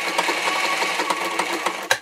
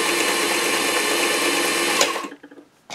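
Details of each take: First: Singer 237 Fashion Mate (237M-A), as-found and run dry before cleaning or oiling: rapid clattery ticking with harsh metallic chatter through each stitch cycle, sounding a little nasty; a dry, unlubricated machine needing oil. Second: Singer 237 Fashion Mate (237M-A) after a clean, lube and adjust service, sewing a wide zigzag set around 10–12: a quick, even run of needle strokes for about two seconds, then handling noises; normal zigzag stitching.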